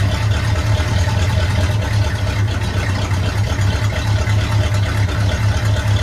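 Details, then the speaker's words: 1972 Chevy C10 small-block V8, warm engine, not a cold start, after valve covers were pulled: even low rumbling idle pulse with no knocks or misfires. Idles fine; timing still needs fine-tuning. "so the engine is warm um it's not a it's not a cold start I'll just put that disclaimer out there"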